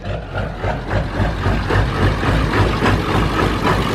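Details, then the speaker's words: Ford diesel truck first running after fuel system purge full of bubbles: lumpy, uneven idle with an irregular chuff about 220 a minute and white smoke; sounds like only a few cylinders firing, cause not yet found. "My truck's running. There's white smoke and it sounds like it's only running on a few cylinders."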